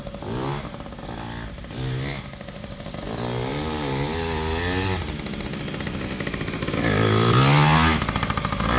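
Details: PW80 two-stroke minibike, repaired, with a new rear tire and tube, described as pretty hot: crackles and revs up cleanly, pitch climbing smoothly with the throttle, music in background; healthy.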